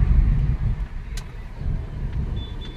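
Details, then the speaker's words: Maruti Swift Dzire while braking on the road: just low tyre and road rumble as the car slows, no squeal, scrape or grinding; the brakes work quietly. "जब आप break दबाते हैं कोई आवाज नहीं है। . यह देखो। यह देखना। कोई कोई आवाज नहीं है। पूरी तरह से सही। कार्यरत।"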